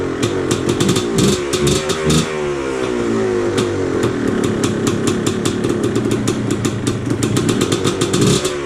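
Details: Yamaha Blaster two-stroke after replacing the carb float valve and seat and a new flywheel Woodruff key that restored spark: sharp crackle rising and falling with throttle blips, firing cleanly without stumble or misfire; running healthy.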